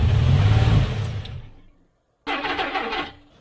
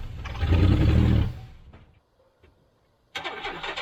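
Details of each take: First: Abandoned 1991 GMC Sierra 4.3 V6 with a new distributor, fed only a small charge of gasoline: it catches with a rumble, runs barely a second, then winds down and dies. Fuel starvation; the fuel charge ran out. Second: 1991 GMC Sierra 4.3 Vortec, abandoned truck with a new distributor and fuel pump, fuel pressure confirmed: a short burst, a pause, then it catches into an even low rumble, and the transmission pulls in low range. Normal running.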